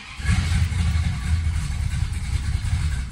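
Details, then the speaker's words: 1967 Dodge Charger with a newly rebuilt 383 big block V8 at cold start, ignition timing already very advanced, bucking and dying under load: low, uneven, lumpy rumble that never settles into an even idle; traced to mistimed cam. "seriously this thing just run bad and not like big cam cold blooded bad just regular bad"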